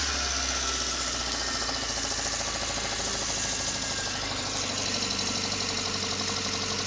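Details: Light, uneven tapping over a steady idle on a newly bought VAZ 21083 (2109), seemingly from the cylinder head; owner can't identify the source of the knock.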